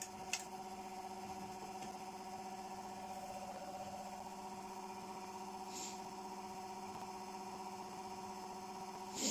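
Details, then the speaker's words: Generator in an off-load test with nanocrystalline cores: a faint steady hum with a few fixed tones. The owner attributes it to the magnetic field resonating with the core material at certain speeds, causing drag where the RPM locks; the cause is suspected. "that noise is the magnetic field resonating with the core materials. It creates this, it's weird actually, it does this at different various speeds."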